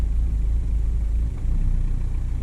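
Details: VW Golf Mk5 TDI diesel idling during a scan-tool EGR actuation test, valve switching between 5% and 95% duty cycle: steady low idle rumble with a dip in the note as the EGR cycles; EGR working fine, engine normal.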